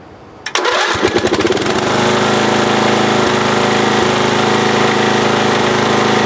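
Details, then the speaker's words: Roughly 1982–83 lawn tractor single-cylinder engine, which had trouble restarting when hot, cranks briefly and catches within a second into a steady, even idle on a warm restart after a new ignition coil was fitted. "all right yeah I'd consider added success so if you're having trouble starting after it heats up on you there you go 12 bucks gets up new coil"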